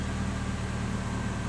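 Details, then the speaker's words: Toyota Corolla running E85 with a conversion kit that plugs into all four injector clips; fuel pressure is the same as on 87 octane. Idling with no check engine light. Smooth, even low hum with no misses, ticks or hunting. Normal, healthy idle. "Car runs smooth, idles fine, and there you"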